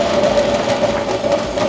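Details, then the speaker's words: Dayton 7-inch bench grinder, model 2Z341M, running with a very bad sound: steady motor hum with a rough, gritty buzz on a constant tone; coasts down well; both motor bearings worn and replaced. "Hello! What we have today is a grinder here that has a very bad sound to it when it runs."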